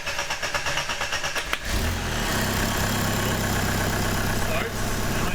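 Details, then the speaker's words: Jeep TJ with a TDI diesel swap, sensor plugged in: cranks one to two seconds before firing, then a heavy, uneven clatter. Owner suspects too much fuel, and it makes no boost. "it takes a little bit before it starts i need to crank it like for maybe one two seconds before it fires up and then it feels like it gives like too much fuel i guess and doesn't produce any boost neither"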